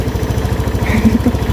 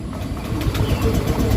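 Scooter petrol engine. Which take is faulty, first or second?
second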